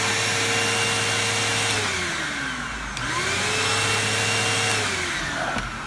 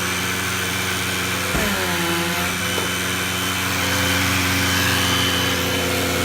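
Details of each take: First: Bissell CleanView II Plus bagless 3576M 12-amp vacuum after fixing a strange sucking sound and power loss and cleaning the filter: motor whirs at steady pitch, dipping briefly and recovering, no odd sucking; working normally. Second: Bissell CleanView II Plus bagless 3576M 12-amp vacuum with power loss: high steady motor whine with hollow sucking rush and brief pitch wobble, air escaping past a fouled motor seal; vacuum air leak.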